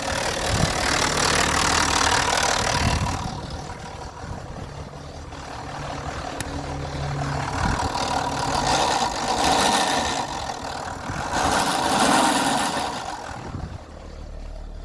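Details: BMW E90 325d with N57 diesel idling: a loud, steady light tick about four per second, partly masked by rushing noise; the diagnostic tool shows no fault codes, and the owner suspects lifters.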